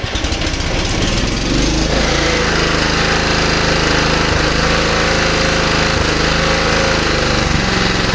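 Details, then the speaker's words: Japanese-made, low-hours Honda HR215 lawn mower engine that had been seized, now freed with the idle set: a small single cylinder settling into a fast, even idle with no misses, knocks or smoke. "well tubers got the idle set boy does it run sweet for being seized"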